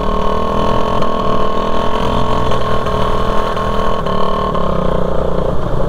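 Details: Raider 150 motorcycle cruising at steady revs on a four-lane highway after the muffler came off; loud raw exhaust blare with rough rasp, noise coming straight from the open exhaust connection.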